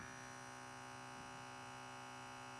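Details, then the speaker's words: KAATSU C4 air compressor known to be compromised, tested with several sets of air hoses: quiet steady electric hum that never cuts off as it never comes up to pressure; compressor is the fault. "but you'll see that it does not ever come up to pressure. Because the compressor didn't hold pressure with any of these air hoses, we know that the compressor is the issue here."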